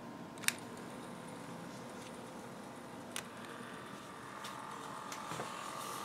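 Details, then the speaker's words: Minifon Mi51 pocket wire recorder, early Monske & Co. unit with mechanically governed motor, recorded via camera built-in mic: soft, even whirr with faint steady hum and light clicks. Normal running. "one thing I want to illustrate is the sound of it operating let's listen to the sound of the operation of the"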